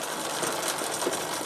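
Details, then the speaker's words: Rear derailleur misadjusted on an MTB/road bike: pedalled chain clatters and skips wildly when shifting to the third sprocket from the bottom, won't shift properly. "wollte ich jetzt auf dem dritten Ritzel von unten sein aber es springt einfach wie wild oben dürfte es noch schlimmer werden dann fängt die Kette an zu hüpfen und hier schaltet schon gar nicht mehr richtig ganz böse Sache"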